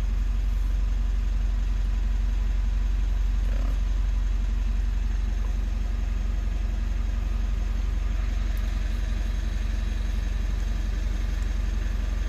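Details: 3rd-gen Mitsubishi Montero/Pajero Sport diesel started after about two months sitting in quarantine; battery reads 14.1, key fob battery low. Low, even diesel clatter at a steady idle with no misses, surges or odd knocks: normal diesel idle.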